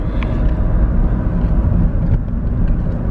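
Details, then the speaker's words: Suzuki Swift, about 2009, back with a complaint that 5th gear jumps out on the motorway; road test in 5th: steady low drive hum and road rumble, no whine, grind or knock. Gearbox runs quiet and normal. "Ich mache jetzt auch noch mal den 5. rein. Zack, 5. Ast rein. Getriebe macht keine Geräusche."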